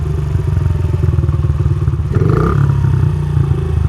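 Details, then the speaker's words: Single-cylinder dirt bike carburettor, mixture screw turned out to about three turns: quick putter, short rev, then idle sags and wants to die, needing revs to stay running; too rich on the pilot circuit, screw likely a fuel screw. "I may be wrong on whether it's an air or fuel mixture screw because the idle is wanting to drop down. I need to keep revving it to keep it up. That means it's getting too much fuel."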